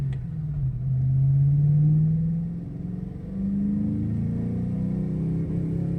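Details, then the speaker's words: 2001 Ford Mustang Cobra on the road rumbles and climbs under throttle, then sags and hesitates before picking up; it still runs rough after new plugs, gap checks, a cleaned MAF and a new air filter. "so you guys can see same problem same problem same problem"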